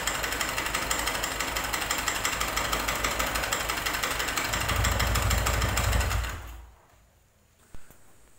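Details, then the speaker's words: Megapro motorcycle engine: harsh, dry, hard metallic rattle growing when revved, then engine shuts off; suspected oil starvation with very little oil left, possibly damaged piston and connecting rod. "seperti itulah tadi ya suaranya ya teman-teman itu sangat kering sekali dan atos kedengarannya Nah untuk dugaan sementara kita mau menduganya ya ini di bagian pelumasan ini enggak ada ya artinya olinya itu tinggal sedikit"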